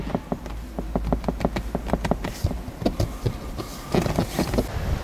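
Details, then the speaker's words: Lexus RX300 second generation driving on uneven roads: irregular dry ticks, creaks and grinding from various spots in the dashboard; dashboard trim creaking. "как же меня достало это торпед и которая постоянно скрипит и не ровными дорогами скрипит она вот так то есть на торпедо разнообразные сверчки сверчки скрежет в разнообразных местах"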